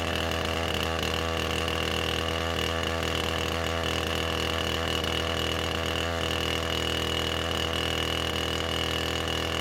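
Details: Husqvarna 455 Rancher chainsaw, about 4 hours total use, ran rough after warm-up; after new ignition coil fitted: steady, even two-stroke idle with no stumbling, surging or cutting out; idling healthy.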